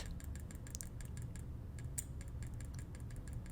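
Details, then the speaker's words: Finalmouse Starlight Pro TenZ mouse: light, uneven ticking and rattle from the left click under gentle taps, with excessive pre-travel. "So like once again there's a lot of pre-travel and every time I tap on it lightly: You can hear some sounds when I tap on it lightly:"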